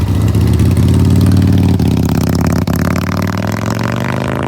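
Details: 1975 Harley-Davidson FLH Shovelhead V-twin, revived after electrical, wiring, clutch, fuel system and brake repairs, ridden about 25 miles afterward: deep, loping burble swells on throttle and settles back, even and strong; normal running and revving.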